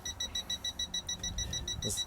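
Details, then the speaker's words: Toptes PT210S combustible gas leak detector alarming after a deliberate LPG leak at a caravan bottle fitting. Rapid, steady, high-pitched beeps, about six per second, continuing as the gas clears. Gas detector alarm beeping. "Oh see if I've got a gas leak go in here oh yeah see it's beep beeping straight away when the detas miles away"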